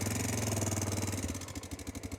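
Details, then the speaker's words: Honda Dominator 650 single, lumpy idle with a light metallic top-end rattle on each beat. Owner suspects the cam chain tensioner, possibly not replaced by the shop; camshaft new, chain reportedly new, oil level adequate. "वह पहले से ही खड़खड़ाहट की तरह थी कभी-कभी आप जानते हैं कि जब नीचे प्रकट होता है तो मुझे लगता है कि टेंशनर हमेशा वापस तड़क रहा था"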